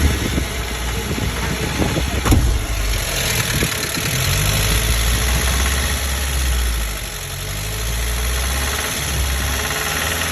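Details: 1998 Jeep TJ 2.5L 118 hp, warm after about 15 minutes of driving, with oil pressure dropping: deep rumble with loose, uneven knocking, appearing above 2000 rpm at half throttle only, not at full or closed throttle.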